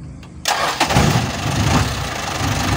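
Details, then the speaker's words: Toyota Dyna Rino 115PS truck after alternator IC fault caused battery not charging, battery recharged; short crank, catches at once into steady even idle; normal start, alternator charging again. "teman-teman baterainya sudah diisi dan dinamo stroke sudah berfungsi kembali dengan baik"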